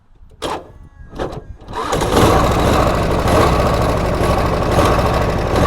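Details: 1967 Harley-Davidson Shovelhead FLH after repair of loud clanking from the front cylinder/head, with loose bearings removed from engine and oil pump: a few cranking bursts, then steady loping idle without ticking or knocking; normal idle.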